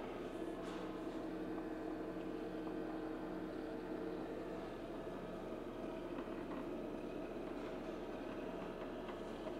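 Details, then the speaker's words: HP LaserJet M1132 MFP printer, powered on after repair for cleaning: even motor whir with steady gear hum, no catches or knocks; cleaning cycle running normally. "เครื่องพิมพ์ของเราเสร็จแล้วมาทำความสะอาดกันเถอะเราเปิดเครื่องแล้วมีเสียงตกลงมี"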